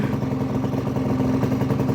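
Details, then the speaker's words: Honda Vision two-stroke scooter after fitting a 65 starter jet, choke on, under two minutes of running with throttle held slightly: steady, even idle buzz with no misses or hunting; normal idle. "all on its own so that 65 starter jet that I fitted must be doing its job so this has been running for no more than 2 minutes"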